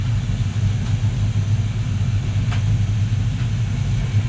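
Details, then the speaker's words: Luhrs 28 twin 350 Chevy V8 inboards, warm day, after cable lubrication: one engine stuck idling at about 1,000 rpm, owner suspects it needs to warm up more; deep steady even rumble not dropping back; high idle. "oh, this one's stuck at 1,000. It's because it has to warm up a little bit better."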